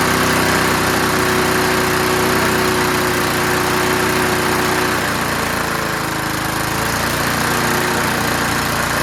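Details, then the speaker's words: Curbside-found Snapper Hi-Vac push mower now running on its own. The throttle lever hits the ground at about 2/3, so it revs high. Fast, even single-cylinder buzz, a bit shaky but steady. Normal running, high idle. "All right, so when you put the throttle about 2/3 down, it touches the ground and stops it. And so it kind of revs high."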